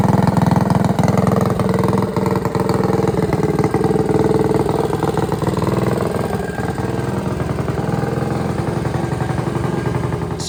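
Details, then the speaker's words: Trailmaster MB200 racing mini bike with a freshly built Tillotson 225cc racing engine, running during break-in. Steady, even single-cylinder thump at constant speed with no knocks or rattles; runs cleanly and sounds good. "everything's coming together boys I think it's going to perform pretty good it sounds good"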